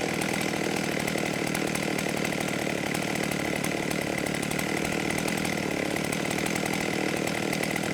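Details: 1989 Husqvarna 50 chainsaw, sat years with old gas, after carb clean: steady, even high-pitched two-stroke buzz with no misses, surging or knocks; running cleanly and well tuned.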